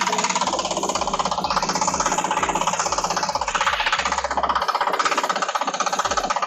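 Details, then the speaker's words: Honda CBR1000RR on a jack stand in gear, rear wheel spinning: quick dry rattle and knock about four a second from a dry chain whose links stick together and are forced around the rear sprocket; badly overdue lubrication causing damage. "do you hear that the higher pitched rattling sound that knocking is the chain links actually sticking together and being forced to turn at that rear sprocket"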